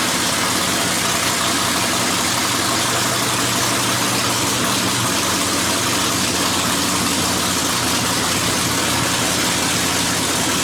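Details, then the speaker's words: Dirt track race car, newly installed V8 engine, first start of 2019 after battery charge: steady, even idle with loud hiss and crackle over a smooth low rumble, no knocks or misses; healthy normal idle. "this is it. We are about to start the race car for the first time for 2019."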